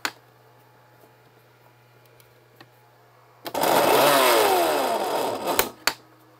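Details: Milwaukee M18 saw run on two plug-in inverters feeding AC to DC (saw can draw over 2,000 W under heavy load), small supply unhooked; motor whirs about two seconds, bogs and cuts out abruptly, motor cutting out from insufficient power supply.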